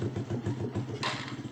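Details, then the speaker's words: Honda Blade motorcycle after electrical short troubleshooting: the engine starts and ticks over with even, quick low pulses and no misses or clatter; normal idle. "Oke normal ya posisinya normal ini Oke Mantap ya udah hidup semua"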